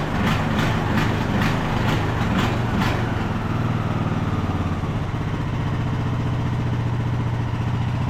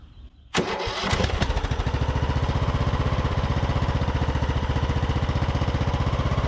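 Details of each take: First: Craftsman YT3000 riding mower, abandoned about 4–5 years, full throttle with parking brake set; engine speed hunts up and down instead of holding steady; surging, owner suspects main jet not clean enough, plans to reclean carburetor. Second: Craftsman YT3000 riding mower abandoned about 4–5 years, after draining gas-filled cylinder, started on fuel dribbled from a bottle; brief crank then quick, even putter with quiet muffler, no misses or knocks; sounds super healthy and smooth.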